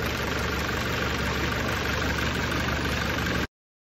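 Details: Mercedes OM616 diesel after valve adjustment, new injection nozzles, replaced hand pump and Bosch injection pump timing reset at 24° BTDC to cure hard starting: even, steady clatter about four beats a second, no misses or hunting; healthy idle.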